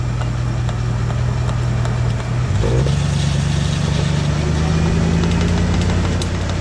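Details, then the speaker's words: Car driveshaft (cardan) universal joint with worn needle bearings: a low droning hum that climbs in pitch as the car accelerates and speeds up; the damage comes from age and use. "Estos baleros con el tiempo y con el uso se dañan causando que se pueda escuchar y observar algo así."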